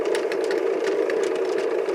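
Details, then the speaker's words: Mid-1960s Lloyd's TY-799A portable tape recorder producing a steady, loud rushing hiss from its speaker, with faint regular ticks underneath. "is that noise from the speaker I'm getting a loud hiss from the speaker"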